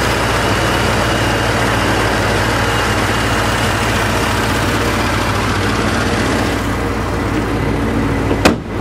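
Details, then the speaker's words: 1984 Corvette 4+3 manual, after sitting most of two years, idling as hood is closed: steady even low rumble with no knocks or misses, then hood slam; normal idle, no issues. "so i'll close the hood now we'll turn on the headlights everything is running fine no problems no issues"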